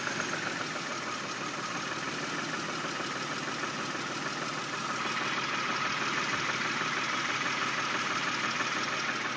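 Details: 1999 Pontiac Grand Prix with a worn engine, bought cheap for its rust-free body: petrol engine idling, heard from a distance, with a faint steady knock about three times a second; rod knock.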